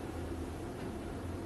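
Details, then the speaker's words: VEVOR 8kW diesel heater starting after pump priming, started by holding middle button; fan kicks in with steady airy whoosh and soft low hum as pump and glow plug pulse; normal fan start, burner firing up. "hear the fan kick in so it's starting to get the pump going so it's basically the pump and the glow plugs pulsing so yeah she's firing up you can hear the fan pumping the heat through the burn is roaring"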